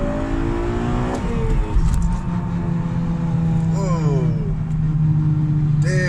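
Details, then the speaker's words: Manual-transmission car on a road test: engine and road roar with a steady low whine that holds and sweeps when the throttle is lifted, louder on the left side; technician suspects axle bearings or the input shaft bearing. "The transmission sounds like shit when I let off the gas. Oh my god. What's that sound?"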